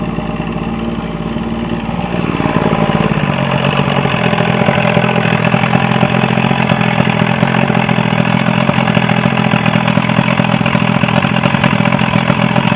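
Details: Mercury Quantum 90 outboard, final run after fixing a no-start issue; catches after a couple of seconds, then settles into a smooth, even idle with a steady low beat and no misses, healthy.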